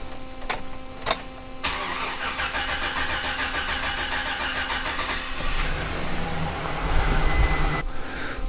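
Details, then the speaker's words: 2008 Chevy Silverado 1500 started from zero fuel rail pressure: the starter churns about four seconds before the engine fires and revs. Fuel pressure leaks down through a faulty pump module, which also has a bad sending unit. Extended crank from fuel pressure leak-down. "i'm gonna do a start you'll hear the extended crank it's not terrible but it is present"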